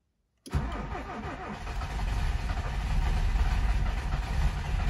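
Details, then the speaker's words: Japanese car stored a long time, ethanol fuel in tank: brief crank, prompt firing, builds to smooth steady idle without misses or knocks; starts very well. "Kuulosti tosi hyvin lähtevän käymään."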